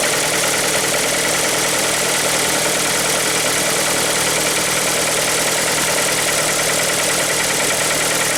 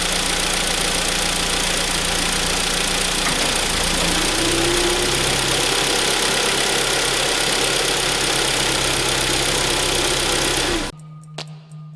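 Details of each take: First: Hyundai ix35 2.0 G4KD engine, timing chain previously replaced, morning cold start: loud, sharp ticking clatter about three per second over the idle; abnormal knock, source undetermined. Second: Hyundai ix35 2.0 G4KD after timing chain replacement and repair of a new knock that appeared when selecting drive; steady even idle in drive with no knock, then engine switched off; normal, knock gone.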